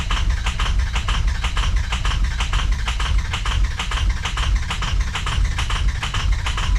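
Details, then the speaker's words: 2003 Ford F350 6.0 PowerStroke diesel that ran out of fuel, with the fuel rail completely empty. After bumping the key to prime, the starter churns at about two beats per second and the engine doesn't catch during extended cranking. "I'm just gonna bump the key a few times, make sure I get fuel coming up. I hear it coming in."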